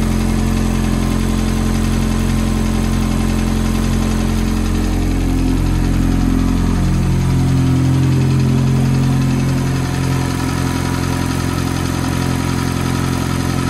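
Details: F430 V8 at cold-start idle: a faint, even, light tick rides over the steady idle; the source of the tick is not pinned down and the cause is suspected but not confirmed.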